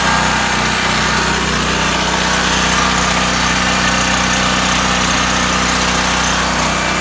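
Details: New Powerhorse 4000 generator just after its first start: a steady, buzzy single-cylinder drone holds constant speed with no surging, knocking or rattles; it is running normally.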